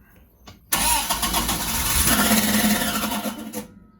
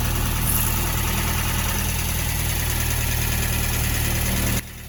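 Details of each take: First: Sunbeam Alpine with a newly installed WOSP high-torque starter: harsh raspy metallic grinding for about three seconds on cranking, engine never fires; not a wiring fault but a fitment issue, fixed with a 3mm spacer. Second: Sunbeam Alpine with new WOSP high-torque starter after adding a spacer between starter and adapter plate: engine starts and idles evenly, with no more starter pinion grinding caused by a fitment issue.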